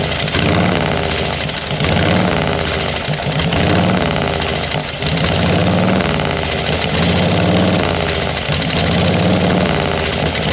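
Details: 1940 Harley-Davidson UL 74" flathead V-twin after oil feed pump rebuild and reinstall: loping, uneven beat holds steady at low idle with no knocks or rattles; oil light still on at idle, normal idling.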